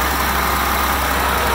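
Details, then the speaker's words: Non-running Hyster H80C forklift (11,400 lb) first start after priming its electric fuel pump, fed from a water bottle: the six-cylinder settles into a smooth, even idle with a steady low rumble, no misses or knocks; normal idle. "she's running good what she's read it really good oh man that's awesome"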